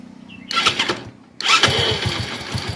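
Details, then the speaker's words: Hero HF Deluxe motorcycle after self-starter motor repair and refitting; short crank then steady, even running with no starter grinding or whirring, only remaining noise is timing chain, whose kit also needs changing. "कोई side में आवाज नहीं है only जो आवाज है जो bike के टाइमिंग चैन की आवाज है"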